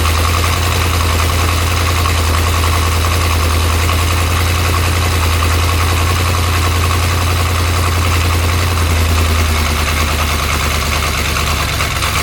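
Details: 1972 Corvette first run in the car after 10 years abandoned, cold, in heavy rain, timing ~10° BTDC; loud, low, uneven loping idle that never smooths; owner suspects vacuum leak at used base gasket and wants a different carburetor; rough idle.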